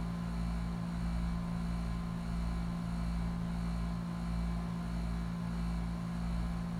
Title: HVAC Sawing/Grinding Sound